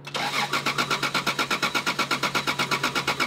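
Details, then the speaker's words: 1993 Toyota Supra, full tank of gas: even cranking about six pulses a second that never catches; electrical system lacks proper grounding, sparking improved when ground wiggled; no start from poor ground connection. "uh the electrical system is very unhappy happy there's definitely not proper ground here okay good um there's definitely not proper uh grounding we can we can probably look at the ground"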